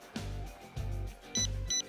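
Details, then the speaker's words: Dual-parachute water rocket, onboard camera during flight: short high beeps repeat over the rattling noise as the second altimeter reads back its previous altitude; it was never armed, so only the main parachute deployed. "we simply forgot to arm the second altimeter you can hear the altimeter beeping the previous altitude through the entire flight indicating that we just never armed it"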